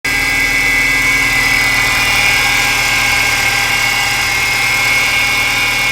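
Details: 2012 Ford Fusion idling with a steady high whine over the engine; worn poly-V accessory belt pulleys need replacing, along with the belt.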